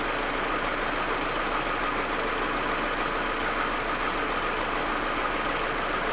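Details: Audi A4 1.8T loping at cold idle with irregular stumbles and knocks about once a second; smooth once warm. Plugs, coils, ignition amplifier and vacuum hoses replaced; owner suspects injectors or carbon buildup, misfire cause unknown.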